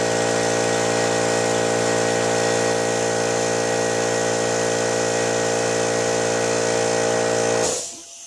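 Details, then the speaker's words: Old pancake air compressor running in garage, noise test against California Air Tools 2010A: loud steady motor drone with even buzzing tone for over seven seconds, then clean shutoff; peaked over 85 decibels, running normally. "I think as you can see it peaked over 85 decibels pretty consistently a pretty loud compressor"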